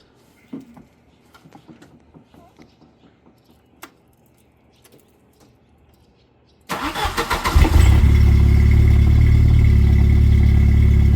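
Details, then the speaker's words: 1991 Jeep Wrangler YJ 2.5L four-cylinder with new Flowmaster Super 44 muffler just slipped on for a test, not yet extended: after clatter, catches at about seven seconds, steady even idle, muted exhaust, much quieter. "much better much better much better yeah H yeah sweet"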